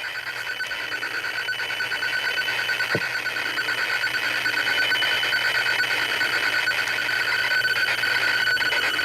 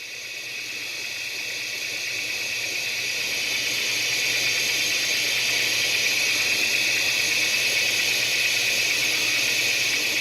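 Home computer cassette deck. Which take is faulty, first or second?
second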